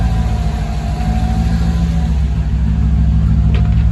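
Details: Mercedes C55 AMG V8 idling after its first start following battery relocation to the trunk, in neutral: catches and settles into a steady, even low rumble with no knocks or misses; normal idle.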